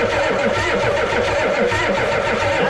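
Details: 1988 Ford rollback diesel truck, sat about 10 years: even rhythmic starter cranking, never fires; steady stream of fuel is reaching it, and owner suspects a bad fuel shut-off solenoid; cranks without starting.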